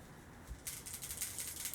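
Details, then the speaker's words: Umarex Fusion .177 airgun, sent in leaking: a dry, fast rattle when shaken, suspected to be a loose or broken screw floating inside. "It sounds like down in here somewhere there's a screw loose, just floating around in there."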